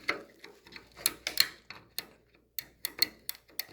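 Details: GE JVM3160RF2SS microwave that trips the breaker: a known-good door interlock switch pressed by hand gives sharp, crisp, uneven clicks, each snapping cleanly, for comparison with a bad switch that makes no click.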